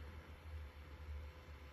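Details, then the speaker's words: Hikvision recorder with replacement fan (original Chinese-made fan was intolerably loud with cover on), cover off: low steady hum with slight even flutter, no rattle or scraping; audibly quieter, normal fan running. "so it's no it's not intolerable the last one was intolerable when the cover was on with the cover off so i do see a difference"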